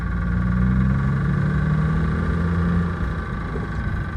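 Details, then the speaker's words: Dodge Stealth with freshly rebuilt 6G72 V6, first start after sitting, collector gaskets retightened, no accessory belts fitted: steady idle with a faint uneven knock over the exhaust note; owner suspects it still knocks, source not pinned down. "I know about you but that still sounds like she still knocks"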